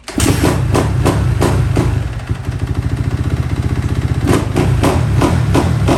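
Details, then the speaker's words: Kawasaki KX250F four-stroke fuel-injected dirt bike after fuel pump filter replacement fixed lean bogging and backfiring: crisp single-cylinder blips settling into steady idle, perfect throttle response with no bogging or popping; normal running. "The bike runs absolutely great. Throttle response is perfect."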